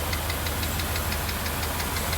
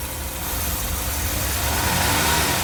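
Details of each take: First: 1982 Mercedes 380SL V8, warm idle after a new oil-preloaded timing chain tensioner, water pump, hoses and a rebuilt mono valve: a light, quick tap on the passenger side, about six per second, keeping pace with engine speed. Cause unconfirmed; owner calls it not bad. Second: 1982 Mercedes 380SL after new oil-pre-loaded timing chain tensioner replaced the bad one, long undriven: steady even idle, soft low hum, no ticking or knocking; quiet, best it has sounded, great oil pressure.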